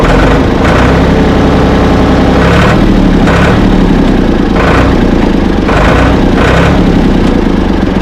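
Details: Ford 445 diesel tractor, thought to be a 1970s model and bought at online auction, with loud, steady clatter, slight rev rises about once a second, and no knocks or misses; it moved forward and reverse, then quit, and the owner suspects worn linkage. Engine runs fine.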